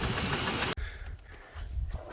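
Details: 2004 Jeep Liberty Renegade V6 idling with a loud rapid metallic clatter over the engine note: a rocker arm dropped due to a collapsed hydraulic lifter.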